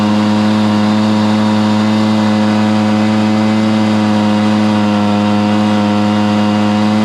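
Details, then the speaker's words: Stihl BR430 backpack blower after carburetor cleaning and high-side limiter adjustment fixed bogging; steady clean high-rev drone at full throttle with no bogging or surging, running healthy. "okay there you have it man it was a struggle trying to figure out exactly what what was causing this bargain down on this steel br430 leaf blow but we discovered it"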